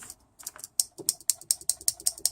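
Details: Isuzu Rodeo A340E 4-speed automatic transmission solenoid bench-tested at 10.4 volts during filter service and demagnetize flush: sharp crisp even clicks about five per second, solenoid pulling in properly on low voltage.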